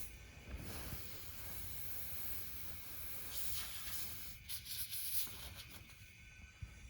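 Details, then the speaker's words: 1984 Honda ATC70 50cc engine, stopped, leak-down test: steady faint hiss of air escaping under pressure, pointing to an intake valve not sealing; top end to be removed for inspection. "well we don't have to go any further it looks like we have a bad intake valve"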